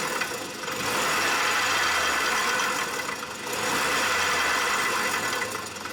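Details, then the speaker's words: Honda Fit, car jacked up and wheels run: low growl swelling and fading with wheel speed over the running engine, no play felt; bad front wheel bearing, replaced with new bearing and hub. "yeah after I got my shoe it is this bearing you know it's not getting any play at all but it definitely sounds bad bad"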